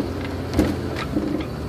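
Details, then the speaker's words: Toyota Tacoma driving at parking-lot speeds up to about 45–50 mph, phone in the console: low road rumble with a few dull, distant-sounding pops from the suspension; steering rack bushings already replaced without effect; cause undiagnosed. "right there sounds like a little you know what it sounds like it sounds like you're at the range and when you hear the rounds going off you know a little bit in a distance this kind of what it sounds like sounds like a little popcorn maker or something"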